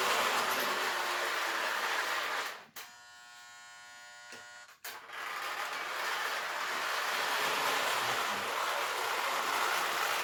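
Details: Lionel 2018 postwar locomotive with 243W tender on KW transformer, after shell removal, lubrication, cleaning, E-unit check and wiring work. Even high-pitched whirr cuts out for a couple of seconds, then resumes steady, with no grinding or stutter; the motor runs healthy.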